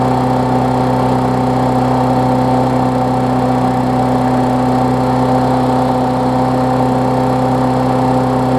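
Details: Briggs Classic engine swapped onto a Bolens push-mower deck, running while a newly wired ground kill switch is tested (the plastic frame later proves to block the ground): smooth, even drone at constant speed with no misses or knocks; running healthy.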